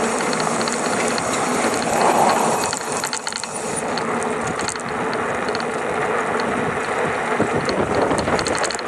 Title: GoCruiser rattling noise between 670 to 725 watts